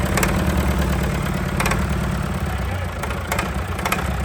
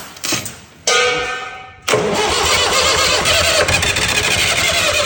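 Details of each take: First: Fire-damaged diesel in 1989 Sambron D2000 telehandler after wiring-fault fire, running at about half throttle; settles into steady even run with solid low-end note and no knock or miss; sounds healthy, worth salvaging. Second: Fire-damaged Perkins diesel in 1989 Sambron D2000 telehandler, burnt in wiring-fault fire, started on WD-40 sprayed in intake; short cranking bursts, then a hard catch into loud rattly running about five seconds before dying.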